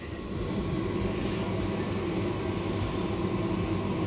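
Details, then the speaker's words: Newly installed diesel heater on a liveaboard sailboat, first test run: a steady burner roar with faint regular ticking from the fuel pump as it fires and starts warming; normal operation. "Oh, I can hear it firing now. Can hear it ticking."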